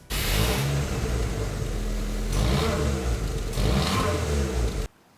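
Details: Nissan March Superturbo (twin-charged), on jack stands, before new exhaust midsection fitted: raspy, flat revs surging and falling in bursts with a hollow, blatty edge; rusted-through pipe and muffler leaking exhaust.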